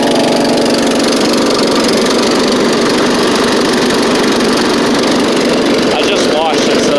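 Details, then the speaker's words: Scotts riding mower with a new drive belt, safety switches bypassed and a slight exhaust leak: a steady, even engine drone without stumbles or knocks at constant speed, running, driving and cutting well. "it does run drive and cut drives really good with the new belt like almost too good"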